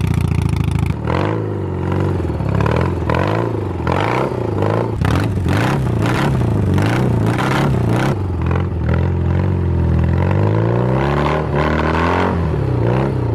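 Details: 1980 BMW R65 after a custom build and restoration, including new front wheel bearings with a fabricated sleeve: the twin catches quickly, blips, then settles into a lumpy, even idle with a throaty exhaust. Normal start and running.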